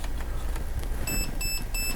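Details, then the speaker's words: Perun V3 Hybrid mosfet installed in an Elite Force MP5K airsoft gun: three short high beeps over background hum confirm the trigger-pull programming set the mode to three-round burst. "so it's on three we hear the beeping active braking let's do five so two more pulls gets us to five there"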